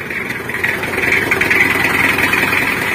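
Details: Mitsubishi L300 diesel idling after clutch disc with broken spring replaced, heard from underneath with clutch pedal released: steady, even idle, gearbox rumble gone; normal idle.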